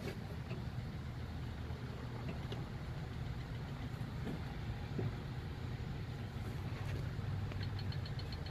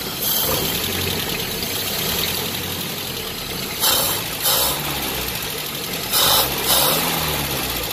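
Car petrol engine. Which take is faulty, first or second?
first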